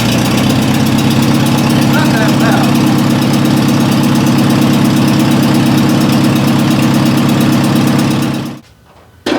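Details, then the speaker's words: 1957 Oliver OC-3 track loader, cold start after sitting a while, with no exhaust pipe or muffler fitted: harsh, loud, raspy chuffing at an even idle, then the engine shuts off. Loud exhaust from the missing muffler. "So here it is with the uh the no pipe because there's absolutely nothing there. This is a cold start."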